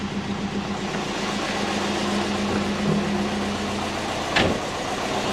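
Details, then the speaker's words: Twin-turbo Subaru Forester at low idle after tightening the wastegate and exhaust joints: a faint airy puffing over the engine note, most noticeable at lower rpm, from an exhaust leak still present somewhere. "sounds like it all right pretty sure i fixed all the exhaust leaks uh just sounds like it when it's a little bit lower in the rpm so i couldn't feel anything"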